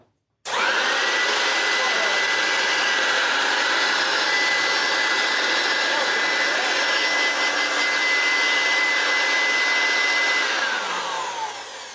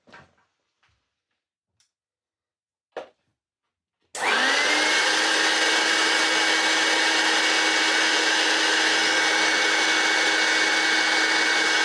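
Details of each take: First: Hoover Turbopower U2798 vacuum with motors swapped to compare the newer-style and older-style motors: motor spins up to a steady rushing roar, more powerful but lacking a high-pitched whine, then winds down smoothly; motor sounds sound. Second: Hoover Turbopower U2798 vacuum's newer-style motor run with no bag fitted; spins up to a piercing whine with hollow rushing roar, then coasts down; runs but sounds horrible and worn, a high-pitched motor whine.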